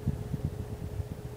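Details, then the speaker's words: 44-inch Hampton Bay Clarkston hugger ceiling fan, antique brass with reversible blades, on high speed in a bedroom: soft, even low roar with faint steady hum and gentle air pulsing, less roar than another fan; normal operation. "You can hear the roaring a little bit, but it doesn't roar as much as my grandma's ceiling fan."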